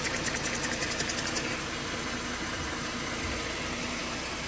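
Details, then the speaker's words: Jeep Grand Cherokee 3.6L after belt tensioner replacement, idling in garage: steady, even idle with a light hiss and no ticking or rattle from the belt area; earlier ticking noise in the engine bay is gone. "well there you go no more noise no"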